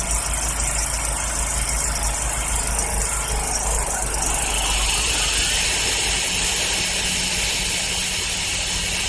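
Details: 2007 John Deere LA110 lawn tractor after a tune-up with fresh 90-octane gas plus carb cleaner: a steady single-cylinder putter with the mower deck whirring, no knocks or misses.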